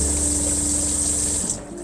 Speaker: like I said it's on demand pump um so you can leave it on all day long and it's not going to run unless you open a faucet